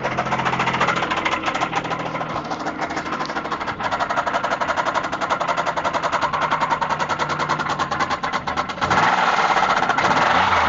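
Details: 2004 Pontiac Grand Prix GTP Comp G with top-swapped, XP-cammed L26 V6, 1000 km on the setup: hard regular knock at idle, about three to four per second, tied to engine speed; spun rod bearing.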